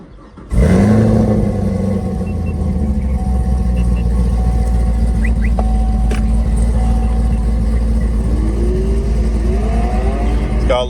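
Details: 6th-gen Chevrolet Camaro ZL1 LT4 V8 with Foster Mods stage 4 sound tube, slightly warm: quick crank, loud bark, deep steady idle with clean blips; engine runs smooth and healthy.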